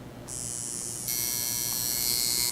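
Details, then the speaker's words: Coil tattoo machine running dry (no ink) after connecting clip cord and foot switch to the power supply: high, steady buzz that starts, steps up in speed and stops cleanly; it sounds different once dipped in ink. Normal dry running. "far as running it goes it's going to sound differently when you actually dip it in ink and then it is when you're running it dry"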